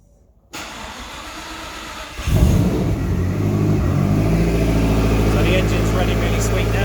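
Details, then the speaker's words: Lotus V8 idling after the clutch was bled; it cranks, catches and settles into a steady, even idle with no ticks or knocks, sounding good. "compared to what it was the other day when it did not get in by the oil was that now the nice DPA sound to it sounds good"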